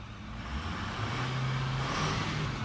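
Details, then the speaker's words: Ford 6.4 Powerstroke diesel after replacing two exhaust studs on one side to fix an exhaust leak; smooth even low rumble with no ticking or puffing, leak fixed. "All right, so Sean just went ahead and replaced those two studs on that side. And listen to this."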